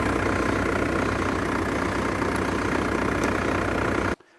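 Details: Vehicle started in boost mode from jump leads after failing to start: steady, even idle with a constant beat and no stumbling for four seconds before it cuts off; runs fine.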